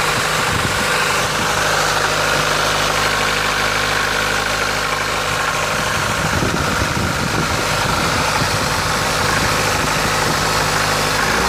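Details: Opel Ecotec 2.0 XEV engine that suddenly started knocking: loud steady idle with irregular deep knocking underneath, about two or three beats per second. Engine knock, cause unknown.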